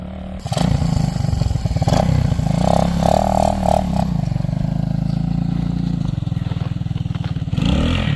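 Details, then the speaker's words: Honda XL185 barn bike, sat over 20 years, after tracing very rich running issue: single cylinder thumps at steady even beat with a brief throttle blip; now running cleanly and healthy. "this is straight ice it's running now that's what we needed"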